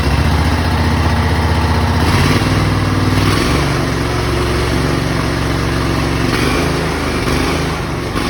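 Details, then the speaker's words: Exmark Lazer Z mower with newly replaced engine, started with choke; steady even beat settling slightly lower, no knocks or misses, high idle needs adjusting; normal running. "definitely need to adjust the idle the high idle got the whole frame put back together runs drives"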